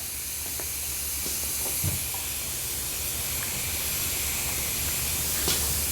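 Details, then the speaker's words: Old backup portable air compressor filling with air: a steady high hiss under the compressor's low rumble, not changing with speed. Air is leaking out of the back. "this compressor it was leaking but I couldn't find out where"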